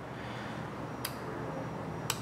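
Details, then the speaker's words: Bosch automotive relay on the bench with terminals 86 and 85 energized: two sharp, crisp clicks about a second apart as the contacts close cleanly; relay working normally. "so again i have 86 and 85 hooked up and when i touch it you will see right down here in that little window you're going to see the contacts touch and that will be telling the big electrical signal to happen"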